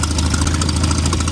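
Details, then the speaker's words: 1988 Toyota Pickup, 22R carbureted engine, idling before repair: rapid puffing tick on the exhaust note. Bad exhaust manifold leak because a manifold stud worked its way out; owner had noticed power loss; fixed with a new stud. "and it is an exhaust leak so i thought i'd show you what a pretty bad exhaust leak sounds like and it's coming from let me zoom in right over here"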